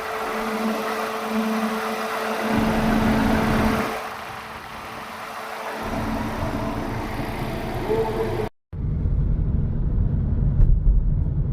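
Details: MG HS: a steady low hum and thin whine over the running engine, pointing to worn gearbox/transmission or flywheel bearing noise.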